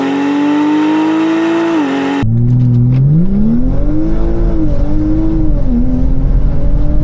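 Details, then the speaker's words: BMW X5 xDrive45e plug-in hybrid, stage 2 tune, OPF deleted, aftermarket valved cutout exhaust opened, comfort mode, not floored: loud booming tone rising and falling with revs, resonating heavily at low rpm, better higher up; exhaust drone. "It sounds loud. It's not per se beautiful, but it makes it loud. And in that perspective, I don't always like these kind of systems. At low RPM, it resonates."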